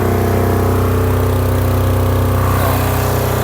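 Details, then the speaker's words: Silent-type enclosed generator just started, smoking briefly at start then clearing, doors opened then closed: steady even hum at constant speed, no misses, knocks or surging; fairly loud, quieter with doors shut; running healthy. "Normally, sa simula po ng andar, may usok siya. Pero pagka tumagal, ayan, wala na po siya. Ito po kaya sinabi po siyang silent na generator compare po dun sa mga open frame."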